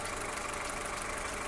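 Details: Skoda Octavia Tour 1.4 16-valve, 630,000 km, hot engine after half a day's use, no error codes, even idle; fast faint metallic tapping mixed into the hiss, a worrying knock, cause not yet found.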